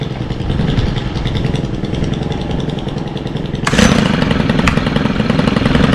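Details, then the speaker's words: Stihl FS91R string trimmer, unused since December with fuel stabilizer added: it catches, then holds a steady, even two-stroke rasp without stumbling. It runs cleanly after winter storage. "These haven't been ran since December, and it still will crank up if you take care of them."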